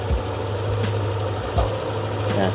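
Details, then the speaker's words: 2022 Yamaha NMAX V2 scooter after low-idle fix: idle (minor) screw set at 12 turns, battery reconnected, test start. Small single-cylinder putters at a steady low idle, even beat, no dips or stalling; previously idle too low, stalled without throttle. Normal idle. "Try natin kung ayos na yung minor niya sa 12 ikot. Ayan, buhayin natin."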